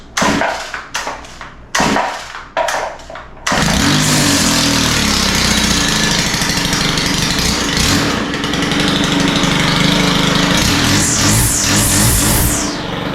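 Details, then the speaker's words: Stihl FS111R line trimmer, after clutch repair and reassembly, started on choke with primer pumped: several sharp pulls, catches and screams but wavers and won't hold full throttle; lean high-speed mixture needing carburetor adjustment with hexagon tool. "um sounds like we could use a little bit of carburetor adjustment on this one"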